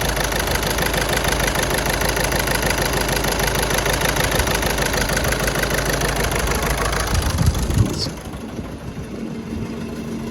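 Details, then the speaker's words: VW Golf 5 at idle right after starting: uneven, loping pulse about three times a second, revs sag sharply, engine unstable and vibrating; rough idle from cylinder misfire. "je veux démarrer ça tourne mal notées en fait le moteur est pas stable en fait vous qu'on démarre ça ça tombe comme une patate ça tombe mal mal"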